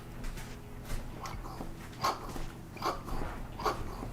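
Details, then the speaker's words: Kawasaki Vulcan 750 carburetor freshly rebuilt and cleaned, checking the slides (air doors): a few sharp little clicks as each slide drops shut on its own; normal free-moving slides. "You can hear that. That's actually what you want to hear, and it should come down on its own."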